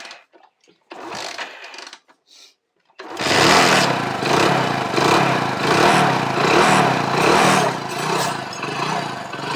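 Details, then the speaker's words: Hero HF Deluxe single-cylinder after engine rebuild (piston, valves, timing chain, clutch plates, new oil): catches after a few attempts, runs with even beat, revs gently rising and falling; normal idle. "Bike finally दोस्तों हमने start कर दिया है सुन सकते हैं engine की जो sound है"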